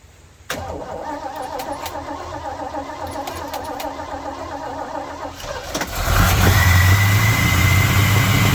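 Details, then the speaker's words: 1953 Chevrolet truck first start after timing chain cover repair: cranks, catches and settles to a rough idle with a thin steady whistle; vacuum leak at the EGR port that was not blocked off, fixed with a block-off plate and gasket. "well I hear a terrible vacuum L somewhere possibly right there yeah see that right there that would be the EGR that I forgot to block off so let me do that"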